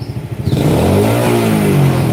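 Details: Engine with a correctly wired full-wave charging system, started on the starter, then running with the battery disconnected: revs pick up cleanly and hold steady with no cutting out or misfire, showing the full-wave setup works properly.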